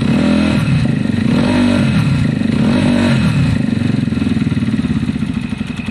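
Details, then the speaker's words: Zontes fuel-injected motorcycle with cutting-out problem, after fixes: steady single-cylinder idle thumping about four times a second with a faint light tappet tick on top; normal idle. "i think it sounds much better to me already and actually i technically i can hear the tactics a little bit"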